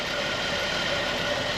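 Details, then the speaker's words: 2010 Buick Enclave CXL V6 with an even, steady idle, no stumble or miss, after fixing a vacuum leak (throttle body idle-too-high code) and cleaning and relearning the throttle body. "y era que un backing y como lo labé Entonces le hice un reler también al Body y y ahí quedó más s serenito"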